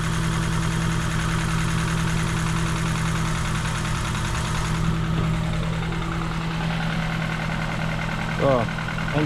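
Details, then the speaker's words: Ford Fiesta Mk7 1.25 with swapped-in replacement engine after flood damage, started briefly with no coolant: steady, even idle with a constant low hum and no knocks, misses or hunting; a warning light on, owner thinks it's nothing bad. "running right suppose it's scripting in it i bag lights on some reason but that's probably nothing bad but seems to be running fine"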